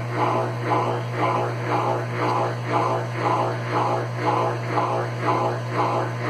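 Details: Consul Facilite CWC10 washer that would not power on, fixed by replacing the power board: steady motor hum with a smooth whooshing pulse about twice a second and no grinding or banging. The washer is spinning normally.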